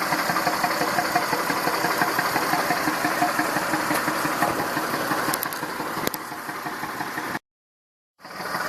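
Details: Massey Ferguson 2645 tractor, Perkins 6-cylinder diesel, owner claims rebuilt 100 hours ago: uneven idle chuffing around three pulses a second, one cylinder weaker; suspected poorly sealing exhaust valve, low compression, lack of power; little PCV blowby.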